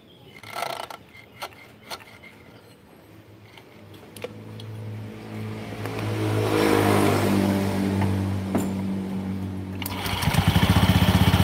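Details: Honda Beat scooter CVT: scattered knocks at low revs, then a rapid clattering rattle when the throttle is blipped. The drive belt also squeals.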